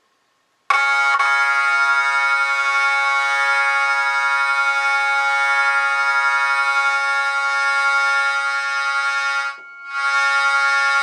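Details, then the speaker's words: Jensen V21 Leslie upper compression driver, fed by a Leslie 122 amplifier and 1963 Hammond B3 organ, holding a steady organ note with a raspy buzzing edge; the diaphragm is rubbing and needs resetting. "because what i want is i i hear the buzzing so i want to get rid of that buzzing"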